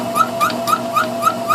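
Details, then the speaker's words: Homemade belt-driven refrigeration test bench, worn two-piston compressor at very low speed: sharp high chirp three to four times a second over a faint hum; owner suspects piston rings or poor lubrication at low speed, also knocking once per revolution. "the squeaking I'm not exactly sure what the squeaking is if it is uh piston rings"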